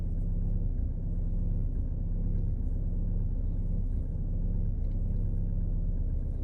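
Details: 2018 VW Passat B8 Alltrack 2.0 TDI 4motion diesel idling cold, heavy uneven low rumble rougher than normal; abnormal idle noise occurs only when it's cold outside and engine is cold, cause unknown.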